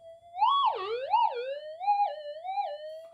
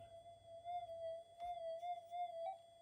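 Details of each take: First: Minelab GPX 5000 with reworked low-noise input stage, tiny 0.1 target: clear pure tone swooping up and down with each coil pass, no crackle or hum; strong clean signal, ground balances well. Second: Modified Minelab GPX 5000 while the cable is twisted and wiggled: a wavering steady tone is broken by a sharp click and a beep, then it resets. A stressed Mylar/connector is dropping out and remaking and needs replacing.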